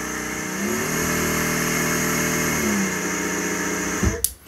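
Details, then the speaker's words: Mecpow X3 Pro 10W laser engraver's air-assist pump switched on: steady airy hum with a faint high whistle, even until switched off. It didn't work on the first two levels, then drew and blew air well. Normal running. "on sent que ça que ça peine là on sent que ça commence à aspirer de l'air et à l'envoyer"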